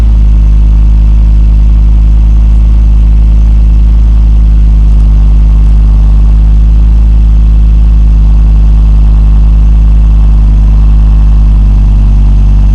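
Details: 2002 Volvo V70 2.4 after replacing centre and rear exhaust boxes with pipe, passed MOT: steady deep idle, even low drone, no puffing, rasping or ticking; exhaust sealed and healthy.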